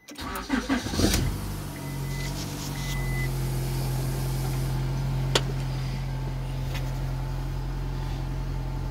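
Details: 2002 Honda Accord 2.3: brief crank, catches within a second, then a steady, even idle hum with no misses; starts and runs normally.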